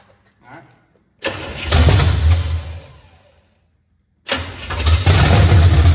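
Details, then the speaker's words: 1979 Chevy Camaro, first start in 4 years, boat gas feeding the fuel pump: catches into a loud, lumpy roar that fades, then a second rough start; ignition firing late, distributor to be turned counterclockwise. "right. I need to rotate this thing. It's It's firing after."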